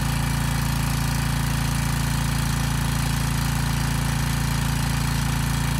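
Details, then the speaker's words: Briggs & Stratton Storm Responder generator repowered with a replacement 10 HP Briggs engine, after a 3,000 W load test: even engine drone with a regular hard rattle about 2.5 per second from the loose starter assembly, not the engine. "also the engine's making a lot of noise it's actually not the engine it's the starter assembly it's rattling kind of on the engine so the engine isn't quite as loud as it sounds"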